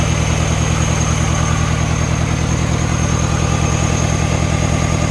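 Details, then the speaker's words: Mini Cooper after cylinder head refitted, VANOS actuator adaptation failing on exhaust side: lumpy idle, about three thumps a second, vibrating and missing on one cylinder; ignition coil misfire. "you can feel it gosh not happy it's like it's missing it's firing"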